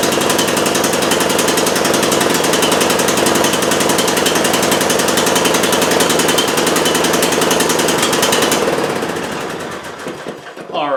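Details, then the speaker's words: 20-year-old Bolens lawn tractor, Briggs & Stratton Intek 15.5 hp, after cleaning dirty electrical connections: small engine chatters at a fast, slightly uneven three to four pulses a second, then dies away; running rough. "So, things seem to be working now. Doesn't seem to be running great, [snorts] but it's back up and powered."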